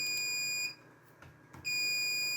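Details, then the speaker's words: PC RAID controller alarm at the BIOS RAID utility: a shrill continuous beep pauses for about a second, then resumes. One hard drive (not an SSD), in physical slot one, has failed in the array. "So this here, one of our hard drives, not one of our SSDs, is the one that's bad."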